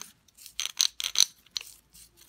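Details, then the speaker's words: Btwin Hoprider 300 seven-speed bicycle rear wheel, spun by hand: sparse, uneven, gritty metallic clicks with gaps as the pawls catch late; freewheel engages eventually but sounds rough. Worn freewheel bearings; freewheel later replaced. "but not just not right oh man it sounds rough now"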